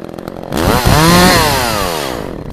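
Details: Echo CS-400 chainsaw cutting in about 40-degree weather after chain sharpening and tension adjustment; bogs slightly into the cut then climbs in pitch as it clears, strong even cutting, sharp chain, running healthy.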